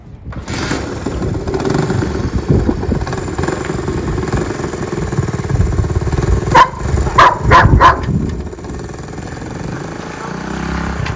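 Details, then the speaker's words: 1969 Honda CT90 Trail small single, running after sitting 10+ years, with freshened cables and new oil: even, steady thump, blips cleanly on throttle and settles back; runs consistently and healthy. "just like that fires up goes down the road"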